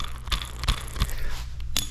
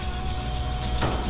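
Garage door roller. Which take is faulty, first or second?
first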